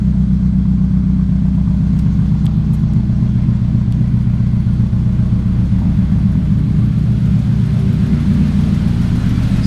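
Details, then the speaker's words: 2006 Chevrolet Cobalt SS, LSJ four-cylinder, with aftermarket exhaust, started after valve cover gasket replacement; steady even low idle rumble through louder exhaust, no knocks or stumbles; normal idle. "it sounds pretty good let me know what you guys think of the way this sounds so four cylinder lsj cobalt"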